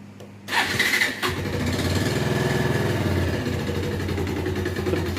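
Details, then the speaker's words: 2012 Bajaj Pulsar 150: engine catches, then quick uneven clatter over a low idle; knock worsens under load in heavy gear or when accelerating and eases at slow speed; piston and cylinder knock from oil starvation. "यह sound जो आपने सुना है इस type से आवाज ए रहा है और जब भी बाइक ज्यादा थोड़ी बहुत लोड लेती है जैसे की भारी गैर के अंदर हो या हम थोड़ी भागने की कोशिश करते हैं तो उतनी ज्यादा आवाज आई है"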